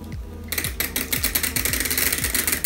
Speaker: Я пока что не могу разобрать, что это за втулка, но трещит она по-страшному.